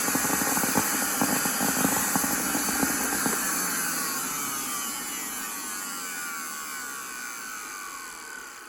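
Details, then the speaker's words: Miele Classic C1 Junior Powerline vacuum, SBAD1 motor with old brushes, run outside unloaded with only the pre-motor filter: high whine with crackly rough edge, falling pitch on spin-down; audible commutator arcing, owner wonders if a winding is burnt out. "There's still arcing on that commutator, you can hear it."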